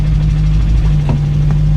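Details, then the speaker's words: ALH diesel VW Jetta after camshaft and lifter replacement, cold start in snow: steady, even low hum, earlier tick gone, no knocking — normal idle. "There we go. Tick's gone away. It'll probably idle. Perfect."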